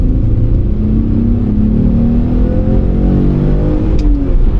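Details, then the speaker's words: Alfa Romeo 156 after replacing faulty ECU, second gear pull on road: engine note rises cleanly and steadily with revs, no stumbles or cut-outs, issues not returning; normal acceleration. "oh I don't know how much of that you can hear but it sounds nice very irresponsible"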